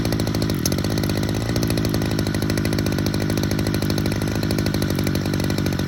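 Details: Hedge trimmer two-stroke with a JB Weld-repaired joint, just after a carburettor adjustment, screaming on its 10,000 rpm limiter with a fast, regular stutter. Owner thinks the intake air leak is still there.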